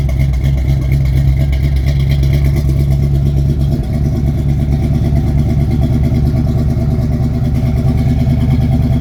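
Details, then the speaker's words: 1971 Chevy C10 pickup, 350 small-block V8, just started cold after sitting three months, using choke and starting fluid: heavy, lumpy low-pitched idle with an uneven loping beat, not firing on all cylinders, cause unconfirmed. Rough cold idle. "oh hey she's running she's alive not no cylinders but it's R is it not no I need some more yeah sounds a little a"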